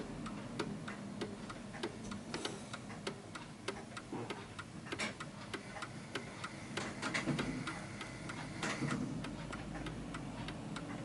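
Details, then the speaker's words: 1940s Hermle (FHS) 8-day Art Deco chiming pendulum clock just set up: clear tick-tock about one beat every two seconds, beats sounding slightly uneven, possibly out of beat on its surface; not confirmed. "so at the moment it feels like it's a little bit uneven because you can hear the ticking"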